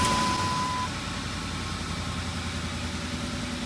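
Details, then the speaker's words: 2006 Ford F-150 5.4L 3V Triton V8 with P0302: uneven, lumpy idle thump from a dead misfire on cylinder 2, confirmed by a power balance test. Traced to compression loss. "boom you see a dv in there dead misfire at idle"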